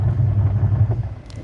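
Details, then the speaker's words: Washing machine wash motor after repair, switched on and resisting being stopped by hand: a steady low hum, even and strong under load with no dragging or stalling; normal running, now taking full load. "दोस्तों button को on करते हैं और button on करने के बाद देखिए लगाने के साथ ही हमारी मशीन ये चलने लग गई है"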